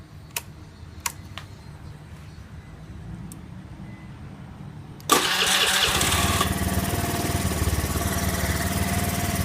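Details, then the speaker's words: Honda Zoomer-X motorcycle with no-start, after replacing fuel pump motor, pressure about 300 kPa (3 bar) with slight fluctuation: a few quiet clicks, then instant catch and steady even idle; normal start and idle. "จะมีการแกว่งของแรงดันนิดนึงก็ไม่ใช่ปัญหาครับครับ"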